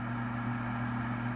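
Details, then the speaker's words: 2009 Trane gas furnace after water was cleared from the pressure switch: the inducer fan runs with a smooth, steady hum and airy rush, and the igniter gets power. "sure did wonder if we're going to get any power to our igniter we sure [Music] are"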